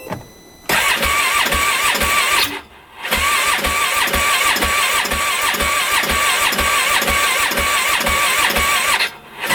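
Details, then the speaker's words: 2015 Polaris Ranger 570, about an hour after a full engine rebuild, shut off in snow and backfiring, new spark plug fitted: starter churns steadily, pauses, cranks again, never catching. Owner suspects timing or a sheared Woodruff key. Crank, no start. "happens yeah no go so that's not good"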